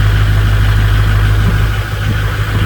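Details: 2006 Ford F-250 6.0 Powerstroke diesel at idle, with a high-idle feature wired to an upfitter switch: deep, steady, even rumble with no knocks or misses; normal diesel idle.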